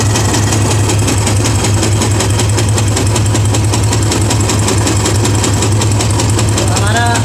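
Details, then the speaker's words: Royal Enfield Classic 350 single at idle: hard, regular knock riding on every beat over the thump; mechanic is certain the connecting rod is at fault and will open the head and strip the whole engine. "तो दोस्तों 100% इसका connective में ही हुआ तो connecting को open करेंगे"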